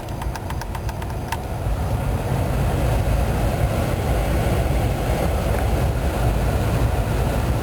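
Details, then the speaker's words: 2004 GMC Envoy SLT after replacing the failed blower control module: steady, even rush of air at full fan speed over a smooth idle, no squeal or rattle; normal blower operation, though air comes only from the defrost vents. "okay now that everything's all back together go ahead and try it out and you can hear it it's blowing"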